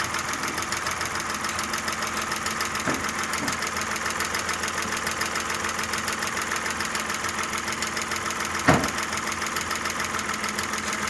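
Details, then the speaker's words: Audi A6 engine at idle after oil passage cleared; condensate/water found under valve cover. Light rapid hydraulic lifter ticking over idle, already quieter as lifters refill; engine not new, may have ticked like this before. "Чуть-чуть есть, да. Ну, мотор не новый, он может так до этого и работал."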